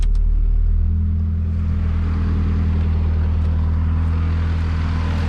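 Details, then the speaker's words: 1988 Mazda 323 at idle with cooling fans rewired: steady low idle hum that bogs slightly in pitch as the AC compressor cuts in, then holds smooth; normal load dip as the AC cycles the fan. "and then when I turn on the AC this fan will turn on or it'll turn on by temperature so I'll let you hear that you'll be able to hear the the motor bog down a little bit cuz uh it's turning on the AC"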